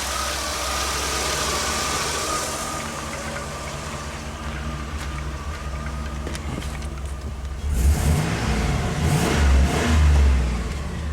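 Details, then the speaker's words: 2002 Chevy 2500HD after finished electronic throttle body retrofit for reduced power P1515, throttle stop secured, no codes: steady engine note climbing smoothly on two quick throttle blips and settling back, no stumble or hesitation; normal revving. "Sounds good."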